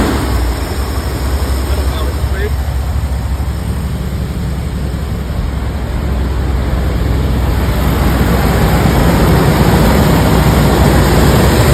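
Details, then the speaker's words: 1984 Ford E350 RV, long unused, running on fresh fuel after varnished old fuel was drained; deep uneven rough idle loping about three beats a second, shaking; owner suspects vacuum leaks and remaining bad gas; good oil pressure, charging. "got a rough idle I know there's a bunch of vacuum leaks everywhere so that's probably contributing to the the the bad Idol"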